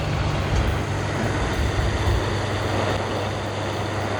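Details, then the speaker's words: Secondhand electric fan, live wire jumpered to the switch to bypass a fault: steady even whoosh over a low hum, no ticking, scraping or surging, motor spinning normally; owner concludes the thermal fuse is blown and plans to replace it. "โอเคนะครับพัดลมหมุนแล้วนะครับแสดงว่าเทอร์โมฟิวขาดนะครับ"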